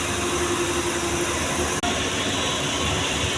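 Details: Volkswagen Vento that had been misfiring, after scanning fault codes and repair: steady, even idle with smooth hum, no stumbles or skipped beats, no warning lights; engine runs cleanly.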